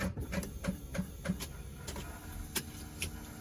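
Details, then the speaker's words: 2004 BMW 330Ci E46 convertible just after fuel pump assembly replacement: five sluggish, evenly spaced cranking chugs, about three a second, fading without firing; flat battery, started immediately once jump-started. "Sounds like we've got a bit of a flat battery going on there."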